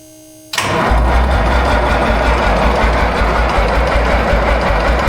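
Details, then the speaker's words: Minneapolis Moline A4T 1600 tractor after winter project, new fuel filter, priming with a 12 V supply pump: steady low cranking about 160 beats a minute, never fires; batteries run low, injection pump wiring later questioned. "So now I'm holding it to prime. He's going to crank it over."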